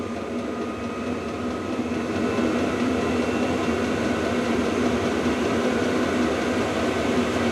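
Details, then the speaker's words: VEVOR diesel air heater with 5-litre tank, turned up from about 40 degrees to level 10 in a cold workshop: pump ticking and fan roar both increase and temperature ramps up; steady, no rattles or misfires, normal full-power running, quite noisy. "Okay, you can hear the pump increase and the fan increase. Okay, and temperature starts ramping up."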